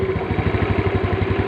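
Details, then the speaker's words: Motorcycle single-cylinder engine started on a dead spark plug revived with an emergency trick: steady putter of about a dozen even beats a second, no misses or stumbles; idling fine. "Mesinnya udah hidup."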